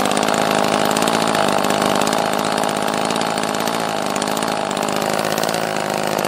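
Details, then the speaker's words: Echo CS-330T top-handle chainsaw, bought cheap as non-running; rough, uneven two-stroke buzz that sags and stumbles as the saw dies out, possibly out of gas: fuel starvation. "yeah so that sound as this thing was just dying out that was starving for fuel sound"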